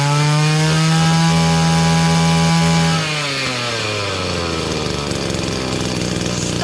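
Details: Echo GT-200B (Kioritz) two-stroke trimmer after recoil starter pull rope repair, on restart: steady high buzz eases smoothly down to even idle after about three seconds; engine running normally.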